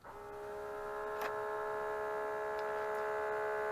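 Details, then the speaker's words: Mitsubishi MS-11V VCR, long stored, with perished rubber belts replaced: on the rewind command only a steady, slightly rising whir from the spinning head drum; nothing else turns and play, fast forward and rewind don't work. "nothing turns I'll try it again hitting play see the head spins like crazy most of the time the tape will wrap around the head as it's supposed to"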